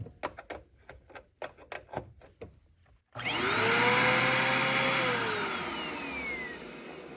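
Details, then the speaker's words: Eureka Airspeed vacuum found at curbside, test run: motor spins up to strained, steady high whine while brush roll still spins; restricted airflow from suspected clog. "Brush roll still spins, but I can hear that it's got a restriction on it."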